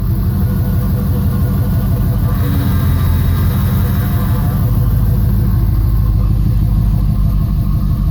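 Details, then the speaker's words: 1989 Camaro, engine warm: a deep, steady groan over idle that swells whenever the steering wheel is turned. The power steering pump had gone bad and was replaced. "what I am doing right now is trying to figure out what is going on with my steering is every time I turn you get it here a fun sound maybe you can hear it better from the outside"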